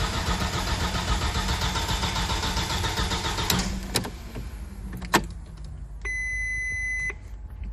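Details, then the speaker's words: 1999 VW Passat 1.8T petrol estate: the starter cranks steadily for about three and a half seconds but the engine never catches; a crank-no-start traced to the failed main relay. "هالسيارة جيبوها اليوم تضرب مارش بس ما بتدور."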